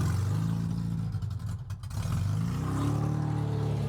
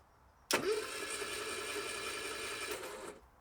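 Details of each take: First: Metro 1275 A+ manual engine newly installed in a classic Mini, first run on open pipes with choke and accelerator not connected; oil pressure comes up instantly. Loud, deep, unsilenced exhaust rises and falls smoothly with revs, no knocks or misses; healthy. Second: Metro 1275 A+ engine newly installed in a classic Mini. Starter spins it evenly for about 2.5 seconds with oil pressure and compression but it never catches: no spark, linked to wiring faults. Spark came after sorting the electrics.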